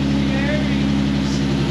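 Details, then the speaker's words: Nissan 370Z starting right after an eFlexFuel Pro flex-fuel kit install and fuel line reconnection: catches at once and idles smooth and even with no misfire; check-engine light was already on beforehand. "Start her up. Woo! That sounds smooth. No misfire."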